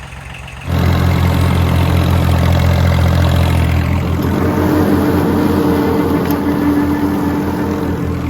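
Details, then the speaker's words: Kubota L1802 diesel tractor with front loader, started after fixing dead hydraulics (pump changed first without success): engine catches and settles into a steady, even low idle with smooth rhythmic thrum, hydraulics working again; normal idle. "Unbelievable, it's working again. Huh, perfect. I'm so satisfied."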